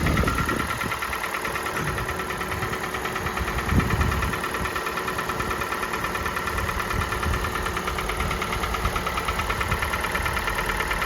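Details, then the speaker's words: Kia Sportage 4G 2017, G4NA engine, 265,500 km, cold start idle: light fast knocking about three per second, piston slap present at the very beginning that fades as the engine warms. "Поршневой был в самом начале."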